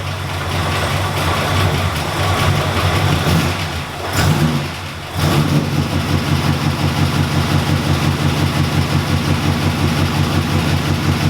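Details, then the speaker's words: Ford EBII Fairmont started after about four years sitting: starts right up, revs, then settles into an uneven loping idle pulsing about once a second; a vacuum leak starves the firewall MAP sensor so it dumps fuel and runs rich. "it started right up but she's about as cranky as waking up miss brownie on a day off something's off"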